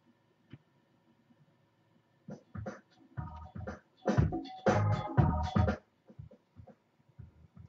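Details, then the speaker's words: Razer Mako speakers after replacing one capacitor: power on goes straight into music with no startup click or pop. "okay i'm turning on and there's no clicking noise which is a really good sign"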